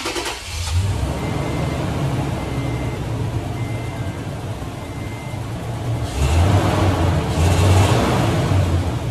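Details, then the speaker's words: Toyota Tundra V8 with P0171 lean codes on both banks and misfires on cylinders 1 and 2, despite new plugs, MAF and O2 sensors: steady idle, then throttle blips rise sluggishly and bog before misfiring, a lean stumble from low fuel pressure. "yes technically it's misfiring but it's more like it's bogging down and then it misfires"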